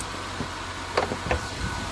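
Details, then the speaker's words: 2005 Ford Five Hundred at idle after exhaust repair and torque strut mount bushing replacement: quiet, even idle with soft handling clunks, no puffing or ticking, no exhaust leaks audible. "s uh at least quieted down now doesn't sound like it has any exhaust leaks at all"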